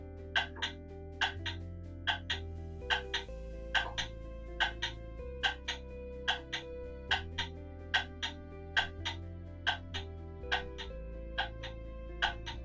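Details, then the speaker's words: Pendulum clock movement on test stand with beat amplifier, crutch deliberately bent wrong way: ticks land in lopsided pairs, about seventy a minute, tick and tock unevenly spaced; badly out of beat. "you can instantly hear how bad that is it's worse than it was before"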